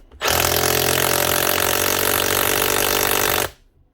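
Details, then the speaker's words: Cordless DeWalt SDS drill (DCH273 or DCH253) after a wiring repair inside; loud, even, rapid hammering rattle held for about three seconds, a healthy hammer mechanism running again. "she definitely sounds like she's hammering cover your ears for this one yep she's definitely hammering which she's definitely running"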